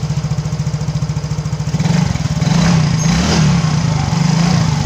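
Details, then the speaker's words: Engine after a piston ring replacement without replacing the block: steady, even low thump at idle with no tapping, rattle or clicking; smoke gone, smooth normal idle. "ini mesinnya sudah halus ya sudah kita bikin halus ini asamnya pun sudah hilang yang enak"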